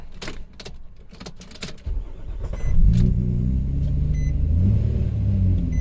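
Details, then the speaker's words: 2007 Nissan Murano 3.5L with a random crank-no-start, many network codes, customer suspects the fuel pump. A few clicks and a brief crank, then it catches promptly and settles into a steady idle, though smoking again: a normal start. "so it starts now so I'm gonna shut this off though because it's smoking again but hey it starts now"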